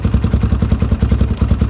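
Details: Honda 300 EX ATV after fire-damaged wiring, started with choke on: even, steady thumping at about ten beats a second with no misses or knocks; single-cylinder engine idling smoothly.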